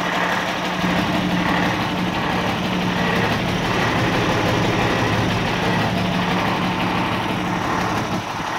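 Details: 1989 Ford Cargo diesel truck, first start after sitting one month, fired right up while checking battery; steady even diesel clatter holding constant idle speed, no misses or hunting; idling normally.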